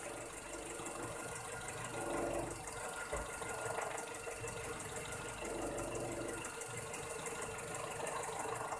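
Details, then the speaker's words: Kijang engine idling warm after a drive, carburettor power jet just adjusted, idle rpm slightly high; fast, even mechanical ticking from loose valve clearance set at 15 in and 25. "Dan suara idle-nya seperti ini. Agak berisik mungkin ya. Ini setelan klepnya agak longgar di 15 in dan 25."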